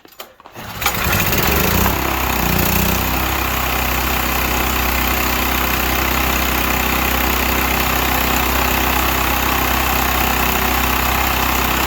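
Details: Used Stanley 8000 W all-weather generator that sat unused for four years, just started on starting fluid with choke then choke off; after a brief start it settles into a steady, even drone with no knocks or surging, normal running.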